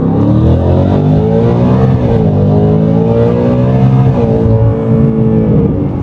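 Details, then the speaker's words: In-car pull in Whipple Stage 3 supercharged V8 Super Snake with new Whipple carbon fiber intake and larger air filter boxes: clean supercharger whine and intake noise rising with engine speed over deep exhaust, louder inside; normal, healthy. "I can hear the whine to the supercharger, and I can hear the intakes, the air intake filters as well. You can definitely hear more whine of the supercharger inside."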